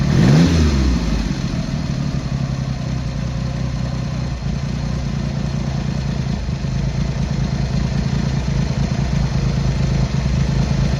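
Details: Triumph Hurricane X75 triple, not fully warmed up, after carb rack rebuild, pilot screws richened slightly and left carb adjustment corrected: after a blip settles to steady, low, even idle with no misses or hunting; running better.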